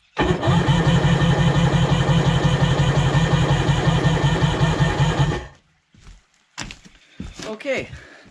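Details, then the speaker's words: Sea-Doo HX jet ski with a shaved head for extra compression (120 psi measured): labored cranking under three beats a second for about five seconds without firing. The owner suspects a low battery or the higher compression. Slow cranking. "seem like it turned over that well maybe my battery's pretty low maybe the compression made it tougher but you can hear it turning over pretty slowly so hopefully we can get that a little better"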